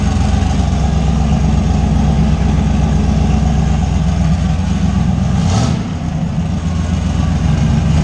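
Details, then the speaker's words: Fox body Mustang with 358W V8 and 80mm turbo, after adding missing ground wires found while chasing a no-start; deep, even, lumpy idle with a brief blip midway, no knocks or misses. Normal idle. "yeah beast is running and starting to the primary issue that I came here for was that it left Shane stranded in a parking lot couldn't figure out why it wouldn't start"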